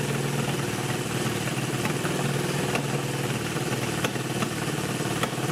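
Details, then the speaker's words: Honda CB360 twin, first running on both cylinders after sitting for years, before tune-up: rough idle with an occasional sharp pop every second or so from the right-side exhaust, cause not yet found. Exhaust popping on one cylinder. "pretty cool we have two cylinders now but the right side now is backfiring popping a little bit i'm sure you heard it it's running pretty darn good for not having run for who knows how many years"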